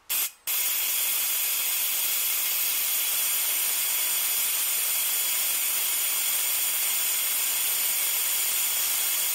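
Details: 555-timer ignition coil driver/tester on a 7 Ah sealed lead-acid battery with a 102 (0.001 µF) capacitor and a very small gap: a steady, hard, high-pitched hiss of continuous spark at a very high frequency in the kilohertz range; normal arcing.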